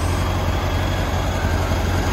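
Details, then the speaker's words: 1979 VW Beetle convertible, 80,000 original miles: loud, low, throbbing idle that pulses unevenly instead of settling smooth; rough idle despite fuel injectors done and new pointless distributor cap; someone suggested a cracked elbow letting air in; cause unconfirmed. "but it's just it's almost there hear it no it doesn't really idle real smooth"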